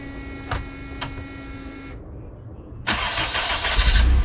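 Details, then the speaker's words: AWD turbo CRX after fixing raspy exhaust, turbo not yet fully connected (intercooler capped); low even idle around 1100-1200 rpm with soft muted exhaust, fuel pump louder than exhaust, smooth throttle blip; quiet healthy exhaust. "this thing is so quiet it's unbelievable yo i'm loving it 11 1200 rpms the fuel pump is louder than the exhaust"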